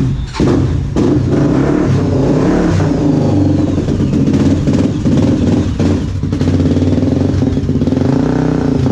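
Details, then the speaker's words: Honda TRX 400 quad after carburettor adjustment and jet change, no air filter fitted: engine picks up cleanly and holds steady revs without stumbling or hunting; normal running. "szwagier pojechał się kaliszem zobaczyć jak tamte dyszki teraz fajnie obroty trzyma"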